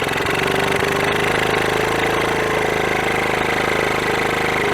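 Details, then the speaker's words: 1981 Honda CT110 Ag Trail barn find after decades stored, first start after freeing stuck carb slide: small single chuffs quickly with raspy, hollow sucking over the exhaust, slightly smoky; loud induction noise because no airbox is fitted. "you get that noise the induction noise there's no airbox on it"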